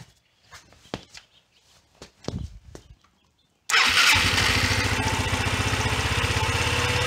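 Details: 1993 Yamaha Riva 125 scooter after oil change and filter clean: a few clicks, fires at once and settles into a steady even idle putter, no knocks or misses.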